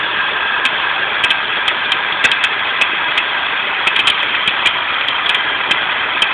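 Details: Volvo 850 idling with sharp uneven ticks and chirps over a hiss from the belt area, attributed to a bad idler pulley.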